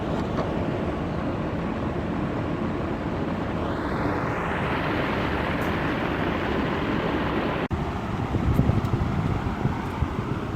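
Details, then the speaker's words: BMW 40Li after replacing the mechanical high-pressure fuel pump (low rail pressure had caused long cranking, misfire, low power): engine starts almost instantly and settles into an even, steady idle, rough idle gone, under wind noise. Normal start and idle. "testing pump installed oh ha engine start in mili seconds and rough idle is gone take a look at the RPM now it is stady okey doc"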